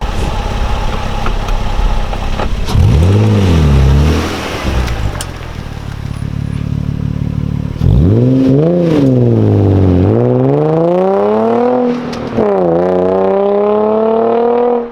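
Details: Nissan 350Z with a new Cobra non-resonated exhaust and TP34 tips, recorded from outside on a standing start: a deep raspy note climbing sharply through the revs with quick shifts, loud and clean.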